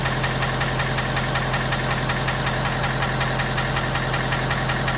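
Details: 2017 Ford F250 Power Stroke diesel cold start: steady hard knock about three per second over diesel clatter at cold idle, subsiding as truck warms; cause unknown.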